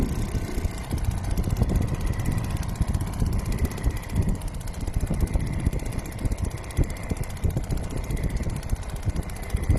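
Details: Restored old Seagull 40 Plus two-stroke outboard in the sea at raised throttle, since it stops pumping water at low revs. Steady buzz with rough, busy low rattle but no misses. Normal running after cleaning everything out; throttle cable fine.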